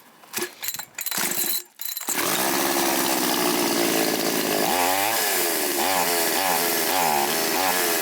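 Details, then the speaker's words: Chinese chainsaw with idle deliberately knocked out of adjustment before carb tuning: catches after a few pulls, then the buzz wavers and sags and won't rev up. Unstable because the carburetor is maladjusted. "Чуємо, вона працює нестабільно, не розвиває обороти."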